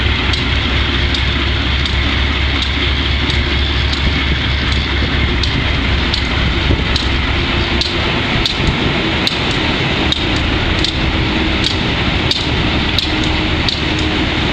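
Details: Wimpy Mtl B30-7 locomotive diesel with bad injectors; big rumble with sharp uneven pops every second or so, misfire. Repairs included air intake, some injectors replaced, valves checked.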